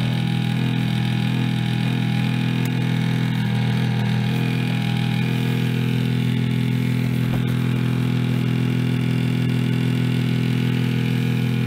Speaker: the motor is falling apart basically you feel the slop a big slop in this fan here